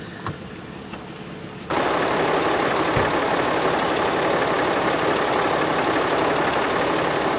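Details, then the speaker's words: RAM 3500 diesel, first start after DIY exhaust manifold repair after exhaust bolts fell out: catches and settles straight into a steady, even idle with no knocks or misses. Normal idle. "oh my goodness it sounds normal [Laughter] I gotta take a look"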